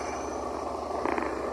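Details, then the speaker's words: BMW GS 650 single (2011–2015 era) that died at idle and started hard, after repair: short, even low idle burble, steady at 1200 rpm, no stumbles or hunting; ABS and fuel sensors still faulty. "isso aí estabilizado lá em 1200 RPM com a luz do ABS com a lâmpada do ABS sensor ruim quebrado né sensor de combustível também tá ruim tá mas a motocicleta tá aí ó"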